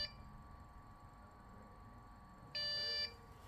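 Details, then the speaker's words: Dell OptiPlex with no display and power cycling, RAM removed: quiet room, then a steady high beep about half a second long and a second beginning, the board flagging no memory detected. "okay let me just take off the rim and make sure that uh CP is the the P is still detecting that there's no room"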